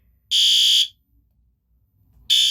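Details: System Sensor PC2W horn/strobe on test: loud shrill half-second horn blasts with long gaps; the alarm sounds normally.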